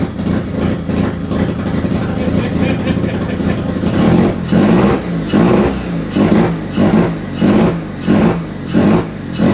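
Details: Turbo II FB RX7 rotary engine on its first real run, after leading/trailing coil checks; fires roughly and surges in repeated revs about every two-thirds of a second, uneven, untuned and misfiring. Rough running.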